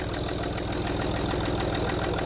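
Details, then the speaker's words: Land Rover Discovery TDV6 diesel at idle: faint, even light tapping on each firing pulse, slight top-end knock; bottom end judged good, owner suspects a cam follower, unconfirmed, noisier before full oil pressure. "can you hear that I'll tell you a little bit it's pretty slight but I wanted to catch it before it got really bad"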